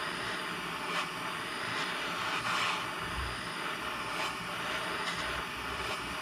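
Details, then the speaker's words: September 1949 Coleman 242c lantern, just rebuilt, generator torch-heated: soft, steady, even burner hiss with no sputtering or surging, the normal lantern sound, though the generator is in poor condition. "now you can kind of start to hear that normal lantern sound that kind of light hiss"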